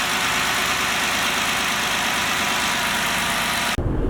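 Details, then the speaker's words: 2015 Jeep Wrangler with 51,000 miles after repairing an engine tapping noise caused by a bad bearing with up-and-down play; smooth even idle, no tapping from the top end, now nice and quiet. "we are all back together we're gonna go crank it up real fast by the way this only has 51,000 miles on it no more copies nice and quiet"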